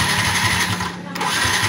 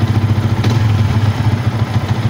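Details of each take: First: Yamaha Vixion injected motorcycle that stalls and won't start, MIL blinking: starter churns at about five pulses a second but engine never fires; no injector ground signal from ECU, which is hot, so ECU faulty. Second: Yamaha Vixion with a stalling and dead-ECU complaint and blinking MIL, idling during a charging check that reads about 13 V: steady low putter with an even beat and no knock or misfire. Normal idle.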